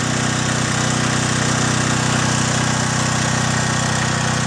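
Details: John Deere/Briggs and Stratton generator, repaired (carburetor cleaned), unloaded during voltage checks of about 114 V per leg: smooth, even run with a steady low beat of about three pulses a second, no misses or knocks; healthy.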